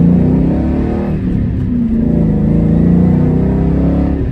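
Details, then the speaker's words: 2001 Mustang Bullitt V8 on its first drive with a JLT cold air intake and VMP tune, accelerating. The deep rumble climbs smoothly with no misfire, rattle or hesitation; it is noticeably quicker than stock and broke the tires loose. "Yeah, it's quicker. I noticed the difference for sure. Yeah, it's got some pep, more than it had stock, which obviously you want that whenever you're spending money on mods."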